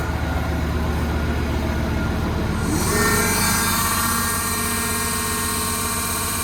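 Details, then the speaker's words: Construction machine diesel running with steady hydraulic buzz rising partway; hydraulically driven cooling fan tries but won't turn, slipping; engine warning for exhaust brake; suspects fan motor failing. "Like that. That fan doesn't want to go around. It's trying to, look. I think the fan motor's going on."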